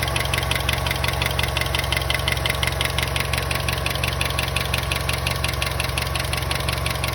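Crisp, even ticking about three times a second rides over the idle, keeping a steady beat; source of this tick not pinned down.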